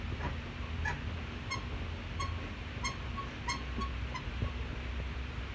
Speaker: after a week or so I got a strange squeaking noise from the front end of the passenger side and when they're right pushed down